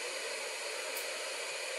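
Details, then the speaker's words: Si4703 FM radio board heard through an external speaker: steady, even hiss with no station, just white noise. No station received; it later worked once warmed, and jitter in its 32.768 kHz crystal was blamed. "let me show you what i've found i've got an external speaker here i'll turn it on hopefully you can hear the white noise"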